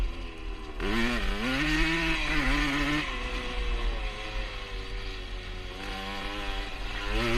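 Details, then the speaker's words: 1977 Honda CR125 Elsinore two-stroke after installing an HPI ignition (old ignition broke up spark at top end); revving with wavering pitch, intermittently stuttering under throttle, which the owner attributes to a big exhaust leak rather than the new ignition. "you can hear it kind of stuttering a bit um some of the time but i think that's more down to the uh big little exhaust leak i've got"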